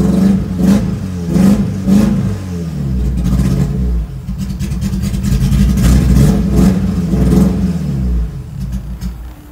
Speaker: Well, it warmed up a little bit, but even at idle, it's misfiring. Let me show you. And that's not just the aggressive cam.